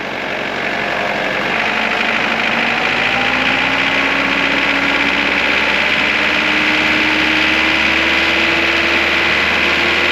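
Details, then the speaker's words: Mitsubishi Pajero Mk2 2.8 4M40 diesel, Bosch Zexel pump timing advance piston repaired, pump advanced slightly for vegetable oil fuel: steady even idle clatter about four knocks a second, slightly knocky but healthy. "Not sure how well it'll pick up on camera, but you can hear that diesel clatter as well at idle and also all the way through the rev range. It does sound probably a bit knockier than it could, but I have the pump advanced slightly because of the vegetable oil situation."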